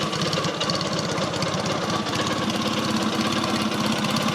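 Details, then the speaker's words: Freshly rebuilt Matchless G11 twin, cold, tick-over raised slightly after starting without choke: even, steady beat, smooth with no knocks or misses; normal idle. "tick over is always a bit slow when they're cold so we can speed it up a little bit"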